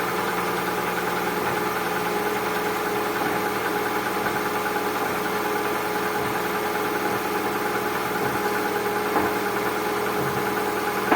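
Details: Cold engine idling with a light, fairly quick ticking knock over the steady run; owner suspects piston knock, unconfirmed.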